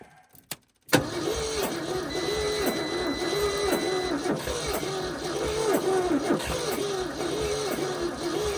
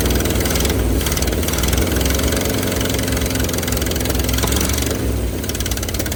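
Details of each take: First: 1971 Ford F250 parked about 30 years, at −15 °C, with the battery at 11.8 V and a boost pack not fully charged: about three labored, uneven turns a second without catching, as the battery is too weak. Stuck valves are also suspected. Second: 1971 Ford F250, parked 30 years, at −15°C on booster cables after possible flooding: low, lumpy V8 idle, a little uneven but keeps running and smokes a bit; stuck passenger-side valve and likely bent pushrods suspected.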